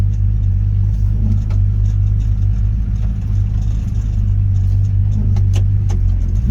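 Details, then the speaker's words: 1955 Chevy truck after a frame-mounted CPP hydroboost install (replacing a vacuum booster the cam couldn't supply): hard stop down the driveway, low rumble easing to a smooth stop with no squeal or grinding; brakes working well. "Nice and smooth, no squeaks. Slam on the brakes. Nice good stop."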